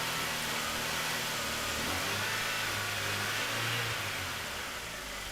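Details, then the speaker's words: 2001 MINI Cooper R50 idling during a fuel rail pressure test with gauge fitted; pressure holding but engine stumbles and wavers as if about to stall, owner suspects air trapped in the gauge line; rough running. "it's still holding there at the pressure like i said the engine's not running too well though"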